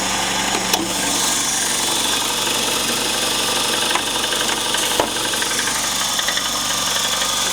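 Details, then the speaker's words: VAZ 21093 1.5 engine, cold idle: light uneven ticking, roughly a hundred and some per minute, disappearing when warm; valve clearances in spec, owner suspects loose tappet buckets with some play. "Ну уже были звуки такие но когда она прогревается они исчезают сейчас покажу звуки похоже похожи на стук такой такой"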